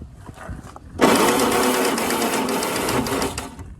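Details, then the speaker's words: Yazoo lawn mower, first start attempt, battery very dead, on a charger at boost, starter mounted on the tin cooling shroud: harsh rattling whir turning over slowly for about two and a half seconds, shroud drumming; slow cranking, weak battery. "whoa I know it crank better than that last when I got it but batter is really dead now"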